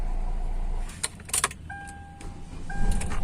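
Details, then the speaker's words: Hyundai Verna 1.6 diesel that cranked but wouldn't start (P1693 immobilizer transponder error), now started, fault traced to the key: steady low diesel idle under door/key clatter and cabin chime; normal idle. "यह किस गाड़ी start हो जा रही है इसका final की का प्रॉब्लम था"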